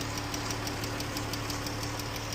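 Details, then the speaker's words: Jeep engine idling: quick, even light ticking, about six per second, over steady idle, worsening over time; rocker arm and lifter problems, fix is replacing rocker arms and lifters; lifter and rocker arm tick. "Yep. That ticking, like I said, these engines have it has a lot of issues with this same issue."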